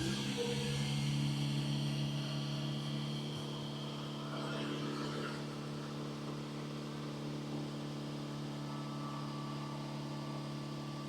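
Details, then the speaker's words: Hyundai first started after transmission valve body solenoid reinstallation, before the transmission adaptations were reset: steady, fairly high-pitched hum holding without dipping; high idle speed. "high RPMs. That did not sound good at all."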